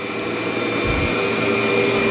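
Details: Cleartrak/Workhorse vacuum after brush and belt replacement: a steady, even motor whine with constant pitch and a smooth brush roll underneath. It runs healthy and strong and feels like a new machine, digging right in on the floor setting.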